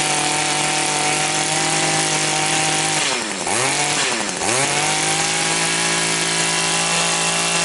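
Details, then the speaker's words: Two-stroke engine that would not rev and had no power, after its blocked exhaust screen was cleaned, started without choke: a strong high wail climbing and dropping cleanly through two blips, then holding steady; it now revs freely. "Sounds a whole lot better already."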